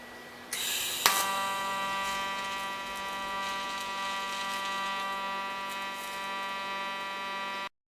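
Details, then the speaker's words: Giant TIG inverter welding thin 18-gauge metal in pulse mode (not double pulse): steady buzzing arc with quick ticking pulse, the small noise being the pulse setting; normal pulsed TIG arc. "esse barulhinho é por causa que ele tá aqui no pulsado Pronto agora vou soldar essa parte de cá aqui tá ali no pulsado só não tá no duplo pulsado tá aqui a 80 Amp"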